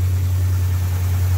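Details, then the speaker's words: 1987 Buick Grand National, sat over 10 years, after a new tank, fuel pump and lines, still smelling of old gas: deep, heavy idle drone with an uneven wobble, running rough and close to stalling. Owner suspects a vacuum leak, not confirmed. "Doesn't sound very good. Doesn't sound too healthy. Oh, it's gonna stall."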